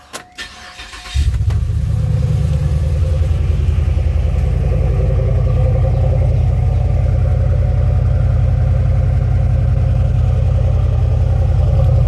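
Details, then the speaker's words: 2007 Pontiac GXP LS4 V8 cold start after re-welding the muffler internals, which had rattled before: the engine catches and settles into a steady, deep, even idle with no muffler rattle, sounding normal. "And so I just got that fixed, and now I'm about to do a cold start on the car to see what this muffler sounds like."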